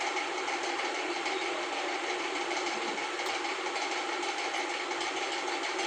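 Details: LG Intello Wash 6.0 kg WF-T7066MN top-loader on spin after its grinding gearbox was replaced with a new one: steady, even whirring hiss, no grinding or knocking.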